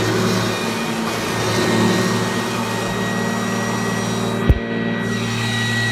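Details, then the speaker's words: 1997 Kirby G5 upright vacuum with metal fan, recently buffed, demonstrated running with no dirt; steady, even motor roar with a constant low hum, no rattle or pitch wobble; runs healthy. "all right so now I will demonstrate the machine running all right so I won't put any I won't put any dirt or anything down I'll just use it urges them and demonstrate it like this so here we go"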